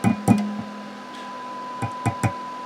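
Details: Tapping a tube radio chassis makes a brief ringing tone in the speaker: a microphonic ceramic disc capacitor in the oscillator tuning circuit, demonstrating why ceramic discs suit tuned circuits poorly.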